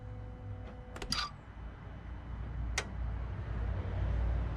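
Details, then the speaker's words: Ford/PSA TDCi/HDi diesel restarted after injector seal replacement (combustion gas had blown past the seals); air in the fuel system, tone changes as fuel pumps through, then it catches and settles into an even, low idle without misses or knocks: normal. "So I'll give it a little bit more time to see if it starts up okay. And it does."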